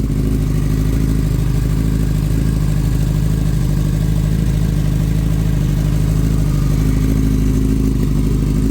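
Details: Kawasaki ZX9R, 42,965 miles: lumpy, uneven idle that won't hold and cuts out, sounding not firing on all four; full carburetor clean and rebalance planned, plugs also possible.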